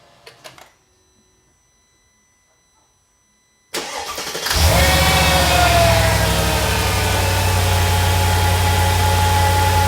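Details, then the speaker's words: Mercedes SL55 AMG (M113K, almost 200,000 miles), first start after fitting a new double idler pulley assembly and tensioner pulley: the starter catches and settles into an even idle with no belt squeal, chirp or rattle. "Everything seems to be good. We're gonna let it run for about 10-15 minutes, and then I am gonna go take it for a test drive."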